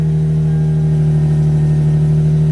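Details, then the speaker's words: Toyota SC300 first started after long tube headers were installed; a very loud, deep, steady drone with a low rumble; owner suspects an exhaust leak. "That's loud. Must be exhaust leak."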